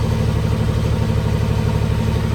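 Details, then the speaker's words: Chevy 4.3L V6 swapped into a 1964 Willys Jeep CJ5, heard through the muffler and custom tailpipe tucked over the axle; even low exhaust burble at idle, no rasp, ticks or leaks; normal idle. "But it's not bad. I like it. Can't wait to drive it."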